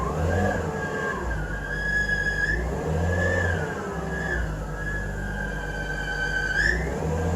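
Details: 2005 BMW E46 320i petrol engine idling: high wavering squeak rising and dipping in pitch, suspected from the alternator, not confirmed.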